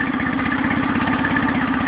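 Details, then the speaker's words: Nissan 9.8 outboard first start, choke fully in: quick chugging idle with uneven, clattery, bouncing beats and shaking; rough idle, owner unsure if it needs break-in or adjustment. "yeah that's rougher than a two-stroke right there bouncing all over the place"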